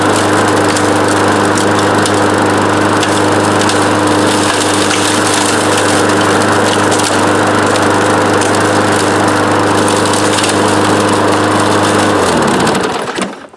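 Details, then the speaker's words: Older Craftsman EZ Walk self-propelled mower, Briggs & Stratton Platinum engine rated 7 ft-lb gross torque, running with the drive engaged: steady even high-speed drone for twelve seconds, then clean wind-down; engine runs healthily. "Heard the blue got this for free and it actually works."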